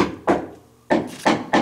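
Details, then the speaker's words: Wooden house sill tapped during a pest inspection for carpenter ant damage: four sharp, dry taps ring firm and solid with no dull or hollow thud; sill is solid, no moisture, in good shape. "very solid no moisture in there at all in good shape"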